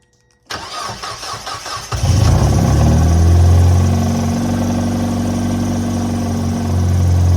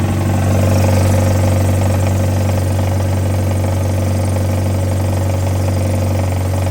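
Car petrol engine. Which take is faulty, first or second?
second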